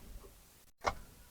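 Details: Automatic car with the gear lever left in D and power on: one faint click when the key turns, then no cranking, because the starter won't engage in gear.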